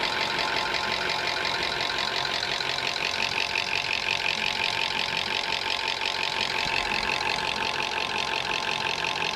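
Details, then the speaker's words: Toyota engine with over 300,000 km and stretched service intervals, idling: fast, busy metallic ticking rattle from the top end, with heavy sludge starving the valvetrain due to poor maintenance. "In the next clip, I'm going to be demonstrating a similar type of noise, but on the top end. On this case, it's a Toyota engine."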